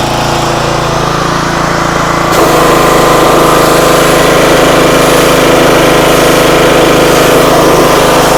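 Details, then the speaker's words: Pressure washer, roughly 2,600–2,700 PSI, at full throttle with the pump under load after air was bled: steady, even drone that settles lower as the pump takes load, with no surging or hunting. Motor and pump both work; normal running. "foreign pressure washer Works motor seems fine pump seems fine"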